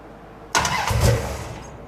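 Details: Cold first start of a 451 ci big-block Mopar in a 1978 Dodge D200 with a new Edelbrock VRS 850 carburetor at out-of-box settings: quick crank and catch, then low, slightly lazy idle; idle a little slow, float levels a bit high.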